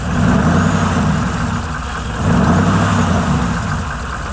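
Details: Truck after driving hard through a deep puddle, owner suspects water in engine; air filter dry but clogged with dirt: deep, uneven idle surging and sagging every couple of seconds with a lumpy low beat, lower tone than usual; rough idle, possible misfire.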